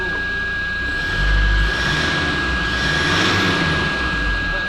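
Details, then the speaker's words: Rebuilt Toyota Land Cruiser Prado 1KD-FTV diesel after turbo and rebuild, revved after five minutes' warm-up: picks up smoothly and settles back into a steady, even drone with no rattle, surge or whistle; runs completely differently, normal. "Essayons d' accélérer un peu, voyons voir. Oh oui, le moteur fonctionne"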